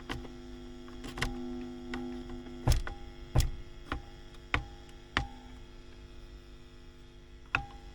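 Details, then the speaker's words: WEM Musette Mk 2 (Dominator Mk 3 variant) valve amp channel during service: steady low mains hum with sharp clicks and taps; very noisy channel, not coming from the inputs, microphonic Mullard preamp valves only suspected. "so yes a bit noisy this channel you can you know and you can see it the inputs are grinding pull the you can hear that so the inputs are grounding it's just a very noisy noisy amp"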